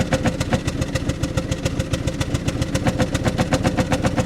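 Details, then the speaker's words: 1993 Pontiac Grand Am with 70,000 miles, salvage car, warming up at idle: rough, uneven pulses with one cylinder cutting in and out, a misfire; fairly sure it's rotten gas, with fresh fuel and a new filter suggested. "oh there she goes you can hear a cylinder coming and going"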